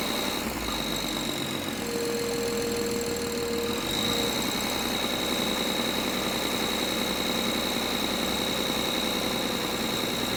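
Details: BMW N53 engine: busy metallic rattle over steady idle, fairly fast and uneven, riding on top of the engine noise; engine rattle at idle, source not pinned down.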